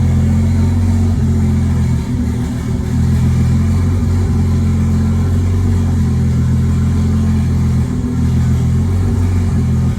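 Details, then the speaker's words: Nissan R32 RB20 straight-six, first start in 3 years, open downpipe with no exhaust: loud, steady six-cylinder drone, even and smooth with no knocks or ticks; engine sounds healthy despite earlier concern, normal idle. "so we've got it fired up yesterday um and Luckily everything sounded okay in the engine which is a good sign because we were a little concerned"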